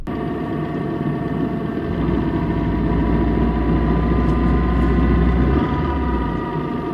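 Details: Manual gearbox idling in neutral: steady whirring hum over the engine, holding even; a damaged internal bearing or gears turning in neutral suspected, not confirmed.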